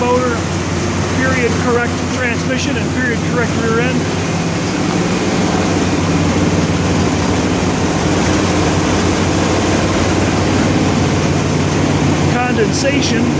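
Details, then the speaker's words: Cold start of a 1963 Corvette Split Window Z06 with period-correct fuel-injected, solid-lifter V8, too cold for the temperature gauge to read: steady idle with a faint quick tick, attributed to a small exhaust leak, possibly solid lifters. "got a little bit of an exhaust leak that sounds like solid lifter fuel injected period correct motor"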